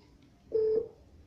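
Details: Technosat T 888 Plus Ultra decoder used as a satellite finder while aiming a dish at Intelsat 20. Single short, steady mid-pitched beep in a quiet room, the signal tone while tuning, no lock yet.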